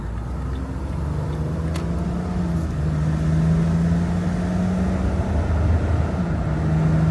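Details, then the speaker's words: 2008 Ford Explorer 4.0 V6 on test drive after replacing damaged MAF sensor plug harness, MAF sensor and air filter (had sputtered, stalled, couldn't hold idle): low hum rising smoothly pulling away, no stumbling; runs healthy again. "feels good. I like it. Feels like it did before."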